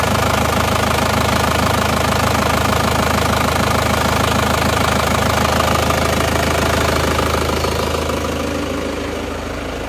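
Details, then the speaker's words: Isuzu Panther diesel after engine overhaul, not yet re-tuned, just started cold at idle: steady, even clatter with evenly spaced beat and no miss, knock or wobble; smooth and back to normal, thin smoke while cold. "Bismillah ini Alhamdulillah suaranya bisa kembali normal ya halus dan"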